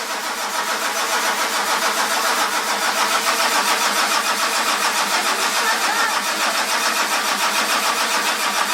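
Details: 1946 Ford with a 1996 diesel, cold morning around 49°F; it ran once, then IDM relay was clicking repeatedly. Starter spins the diesel in an even churn, about three and a half compressions a second, but it never fires: cranks but won't start.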